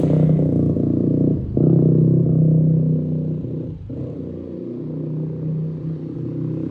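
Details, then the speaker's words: Yamaha YFZ450 ATV rebuild, rerun after turning the fuel petcock on, freshly rejetted carb; single lumbers and dips with sagging revs and uneven pulses about four per second; runs better but rough, owner says jetting still needs work. "So we're gonna have to mess with the jetting a little bit still, but it obviously runs better with the gas turned on."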